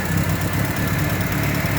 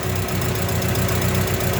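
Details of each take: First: Engine after honing the loose camshaft bearing cap to fix rocker-arm noise: deep even idle rumble, steady beat, no ticking or knocking — knock gone, normal. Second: Engine after camshaft bearing cap repair: rough uneven idle from faulty carburetor (to be replaced) with fast light ticking on top — valve clearance needs a tune-up adjustment to remove the remaining noise.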